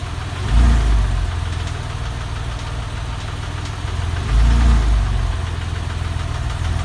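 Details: 996 engine at idle: low rhythmic knock about three or four per second, plus two heavier thumps. Source of the knock unclear.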